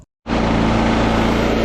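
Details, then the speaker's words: Generator after carburettor cleaning and reassembly: steady, even engine drone with a constant low hum and no hunting or surging. It now runs smoothly and beautifully. "all right guys all done back together and it's running beautiful happy happy happy happy happy"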